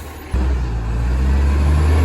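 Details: Flat-faced ACCO cab garbage truck #11487, recorded from the exhaust side: engine kicks in with a loud, deep, rough roar that swells and holds, much louder than normal; massive exhaust leak.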